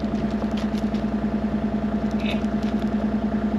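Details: Mini-excavator diesel started before repair while running on gasoline mixed into its diesel fuel: steady lumpy idle, roughly 200 pulses a minute, somewhat harsh and uneven; rough idle from gasoline-contaminated diesel.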